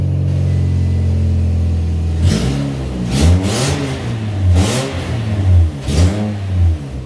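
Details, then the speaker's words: 2004 Scion xB with the axle-back exhaust removed and the exhaust not yet welded: a loud, deep, raspy blat swells with each rev and drops to a heavy rumble. Exhaust leak at the donut gasket, worsened by prying. "now obviously that's really bad because the donut gasket is leaking and since I've been prayin back and forth on it it's leaking even worse"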